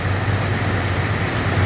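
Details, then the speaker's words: 1981 El Camino with a computer-controlled Quadrajet: smooth even V8 idle with steady rumble, no knocks. It popped at first; now just over 30 psi oil pressure, alternator charging. "but motor sounds good and if you trust the gauges which I do cuz they start at zero and go up it's got little over 30 lbs oil pressure"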